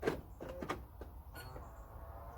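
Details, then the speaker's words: Range Rover Evoque central locking after repairing an intermittent door lock fault, locked with the key outside the car: a few crisp clicks and a brief motor whirr as the actuator works and the mirrors fold, double lock with no faults; normal. "now you should hear the actuator go you should see the wing minus folding and you should be able to double lock it now with no faults"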